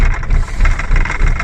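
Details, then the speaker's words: 2000 Holden Astra with hard starting and long cranking, idling around 750 rpm: low idle with an uneven, lumpy beat and faint rattle; switching injector number one off brings no change, so that injector is not working. "right now guys see there's no changes so there is no response from the injector"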